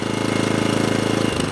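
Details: Atco Balmoral 20SK cylinder mower with Kawasaki engine, run at full revs then back to idle: fast, even stream of firing pulses that eases as revs drop; normal healthy running.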